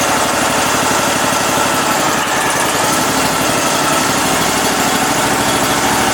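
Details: Cub Cadet Super 2082 lawn tractor (about 60-inch deck), sat at least 2 years: mower engine runs steady and loud at constant speed, even beat, no misses; needs choke every start but starts and runs normally.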